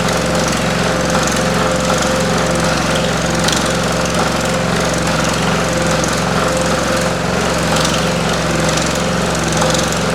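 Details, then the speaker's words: Pullmax-style machine shrinking metal with Stan Fulton plastic thumbnail shrinking dies; the machine shakes and makes noise at start-up, then runs fairly smoothly: fast, steady, even hammering drone with light rattle; normal operation. "My machine will shake and make some noise. And then once it gets running, it's pretty smooth. You will hear rattling, but just bear with me."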